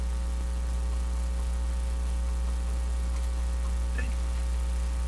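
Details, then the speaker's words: 85-year-old National HRO receiver, second power-up after stuck-open B+ switch fix, B+ just applied: steady low hum with deeper tone, no signal; hum confirmed coming from the radio. "ah okay there we are now you're hearing the hum from the radio"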